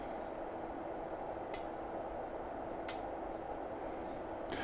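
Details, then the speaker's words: Lavolta BPS-305 power supply being set to 21 V before a 5 A (about 105 W) thermal load test: three sharp clicks a second or so apart over a steady low hum. The relay switches transformer taps cleanly, reaching the 4th tap. "could hear the relay clicking there, but I'm just gonna tip over to 21 volts. So it uses the 4th tap."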